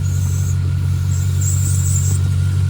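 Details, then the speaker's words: Bone-stock LQ9 V8 from a 2002 Escalade, no catalytic converters, Magnaflow two-in two-out exhaust, deep loud idle; thin high whistle coming and going from a leaking rubber vacuum hose to the fuel pressure regulator, needing replacement. "uh the whistling you're hearing is this right here it's a a little bit of a vacuum [Music]"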